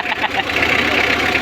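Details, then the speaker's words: Mitsubishi L300 4D56 diesel after cylinder head replacement, radiator shroud removed because the fan was hitting it and causing noise: steady unbroken diesel clatter at idle, no rubbing or slapping from the fan area; engine sounds healthy. "Di tinatamaan ng LC. Kaya pala maingay. So yung tinanggal namin, wala na. Normal na yung kanyang andar."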